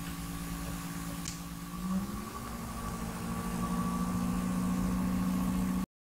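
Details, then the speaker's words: PlayStation 5 cooling fan ramping up from menu screen, very sensitive microphone at the vent slots with heavily amplified audio; soft hum rising smoothly in pitch and settling higher, normal fan spin-up, not loud in normal use. "wie man hier schon hören kann dreht der lüfter jetzt natürlich hoch ist aber auch nicht so extrem stark zu hören wenn man sich normal vor ort betreibt"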